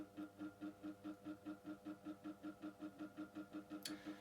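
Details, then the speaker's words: Micromark 12-inch retro fan after motor servicing, on low speed: quiet hum swelling and fading about two and a half times a second; pulsing motor noise has returned after repair, cause not yet found. "what I mean is that after when I tested it after fixing the motor, it wasn't making that noise, but, well, it's obviously come back"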